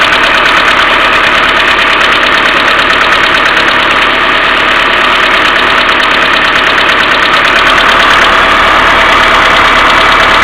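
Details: Mercedes A-Class W168 1.6 petrol, cold engine at idle without throttle: quick steady ticking about three per second from collapsed hydraulic valve lifters, timing chain tensioner hum also audible; a common A-Class fault, fixed by replacing the hydraulic lifters.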